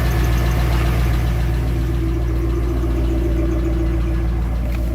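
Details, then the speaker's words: 2002 Chevy Avalanche swapped engine on first start with fresh break-in oil: steady idle with light regular tapping at about 220 a minute. Pushrods were found dry, causing the valvetrain ticking; a valve cover was pulled to check. "sounds like it might be a valve go ahead until this I think I want to pull a valve cover real quick"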